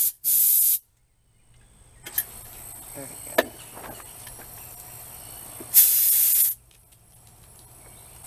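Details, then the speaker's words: Engine with air pumped into a cylinder at the timing mark: sharp bursts and a steady faint hiss escaping through the intake, getting louder with parts removed, confirming bent intake valves. "did you hear all that air is going in the cylinder but what's going on is since these intake valves are bent the air is just going right out of here"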